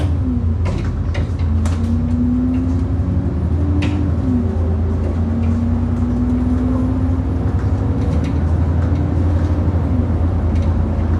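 Diesel drone with loud, irregular clunks as the bus hits potholes: a suspension knock on bumps, exact worn part not identified.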